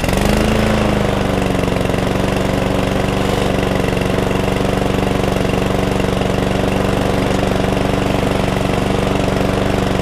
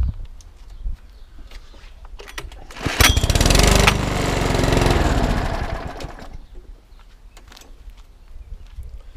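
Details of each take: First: Cheap lawnmower that wouldn't stay running, after tank flush, carb clean and removing overfilled oil: small single-cylinder engine settles into a steady, even putter with no stumbling or surging; runs cleanly. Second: Cheap UK-store 2012 mower with small Chinese OHV engine, fuel cap stuck: primed two or three times it fires, revs about three seconds, then cuts out; fuel starvation, tank flush and carb clean needed.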